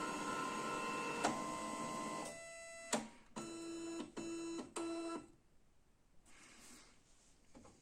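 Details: Canon i-SENSYS MF4410 scanner carriage after repairing the broken scanner motor cable that caused error E202-0002: even whir of carriage travel, then a few short regular clunks as it parks, scan unit working properly.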